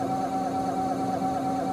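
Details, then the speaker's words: Graphics card fan with a dry shaft/bearing on its motor: a steady, unchanging high whine over a lower hum, fixed by lubricating the fan. "sound which I'm sure everybody has heard at one time or another that comes from the fan that's the shaft on the fan motor it is on the display card"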